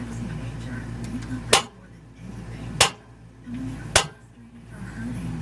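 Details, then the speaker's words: Atwood Wedgewood RV stove piezo ignitor after repair, including reconnecting a wire that was found disconnected. Three sharp snaps about a second apart; it lights the burners normally. "So let's just see if this is going to work now. We'll turn it on to light. We'll give it a few clicks."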